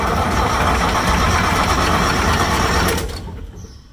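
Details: Massey Ferguson 550 diesel tractor, first start attempt since 2019, injectors cracked to bleed lines: steady starter churning for three seconds that never catches; no start from air in the fuel lines.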